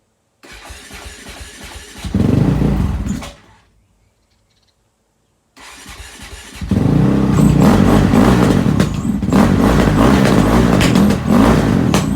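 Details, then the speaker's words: Honda CRF450X after valve clearance check (within spec), started on choke: cranks, catches briefly and dies, restarts into uneven, lumpy fast idle; owner suspects the carburetor, also an electric starter issue. "Something don't sound quite right though. My thoughts are it's possibly carburetor related, but I guess I'll ask and find out."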